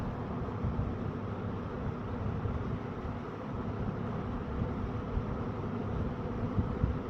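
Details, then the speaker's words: Eskimo box fan model 201083 after cleaning and reassembly, starting on low speed: a soft steady whoosh over an even hum with a harmonic whine as it speeds up; no rattle, running normally and quietly. "So I don't know why that is, but started on low. Really nice and quiet. Hear that harmonic whine."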